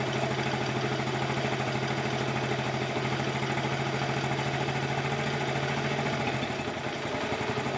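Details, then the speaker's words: 1984 Honda TRX70 quad single-cylinder, first run after years in a barn, on chainsaw gas: fast, slightly uneven unloaded idle about three beats a second; owner says it smells rich while adjusting air mixture, suspected not confirmed. "I'm trying to adjust the air mixture just a little bit. It smells a little rich to me. Of course, it's running on chainsaw gas."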